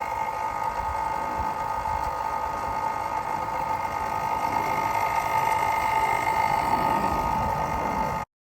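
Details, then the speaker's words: Spike Flow pump whirring with a high steady tone and scratchy, chattering rub: drive magnet pushed too far up the shaft presses the impeller against the housing face; fix is checking and setting the gap. "what happens is if it's pushed too far up the shaft this way then it will push on the impeller which pushes it against the face of the housing and causes that noise"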